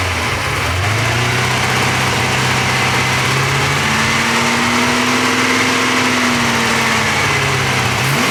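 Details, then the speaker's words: Porsche 928 after oil pump work: revs rise and fall smoothly with no whine, even and healthy; owner happy. Normal engine running, no whine. "I've just been running up for about 10 minutes now all sounds good very happy with that"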